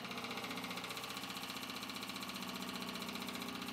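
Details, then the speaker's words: Fuel pump in surge-tank setup for 1989 Nissan Bluebird carb-to-injection conversion, Facet Posi-Flo 60107 lift pump tested alone for current draw, about 2 A: steady fast ticking buzz around three pulses a second, even; normal fuel pump running. "what I'm gonna do is just test the current draw on that pump"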